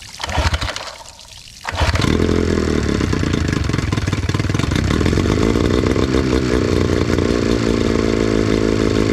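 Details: 9.9 HP Johnson outboard two-stroke after carburetor cleaning (clogged bowl port suspected), running on water with choke out: a short cough, then it catches and settles into a steady, even run with no misfires or hunting.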